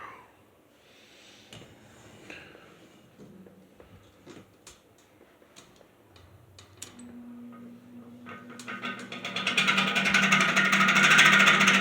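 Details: Heavily worn Patton U2-1479 14-inch floor fan on its first test run: after quiet handling the motor spins up and a rough, rising hiss with a gritty whir builds. The bearings are dry and worn and need oil, and the washers likely need replacing. It spins freely and is not seized.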